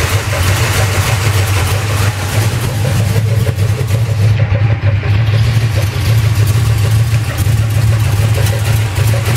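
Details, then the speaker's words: 1968 Camaro 010-block 360 Chevy, .060 over, swapped into 1986 K20 4x4 with new stall converter, cam, lifters, oil pump; idle: irregular clunks and scraping drag, comes and goes; bearings fine, owner suspects flexplate/torque converter or crank dragging oil pan. "See, you can hear it. It sounds like, I don't know what the hell that is. It sounds like something's dragging."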